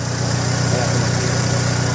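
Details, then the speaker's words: 2002 Honda Civic after valve clearance adjustment (tune-up): smooth, even idle pulse with no ticking from the top end; the earlier clicking is gone and the engine runs clean. "Wala na siyang clicking sound o parang lumalag tik kailang na guys Ayan so Ayan guys narinig niyo ' ba sobrang pinong-pino na nung andar ng makina natin"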